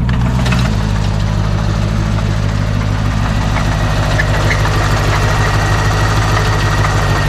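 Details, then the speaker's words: C4, manual with clutch, idling after earlier refusing to idle at all: a rough idle with a heavy rhythmic knock of about three beats a second over the exhaust rumble, from inside the engine, not a pulley; engine knock at idle. "but listen to that noise I mean I don't know that much about cars but that cannot be good"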